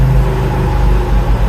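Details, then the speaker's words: Classic Fiat 500 in first gear at 10 mph: heavy droning low rumble with rough edge only with clutch pedal pressed, in all gears and reverse, gone in neutral or clutch released; worn clutch pilot bush lets input shaft wobble. "until you go then it disappears so that's actually in first now doing 10 mph so the clutch back in as the Reps come down makes the awful noise again only with the clutch in pop it out a gear it goes away"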